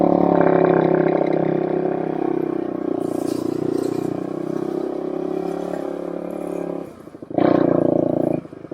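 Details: 2007 Suzuki LTR450 quad after removing the blocked fuel filter: single cylinder pulls cleanly and steadily as it moves off, taking throttle without stumbling; running normally.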